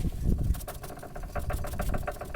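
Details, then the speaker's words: Chevrolet Aveo 1.5, wheel jacked up and ball joint rocked by hand; rapid knocking clunks with play including vertical play where it should be tight, worn ball joint causing dull knock over bumps. "Ну, я думаю, этот звук слышен. Шаровая должна быть тугая и без боя. То есть даже вертикальный бой присутствует."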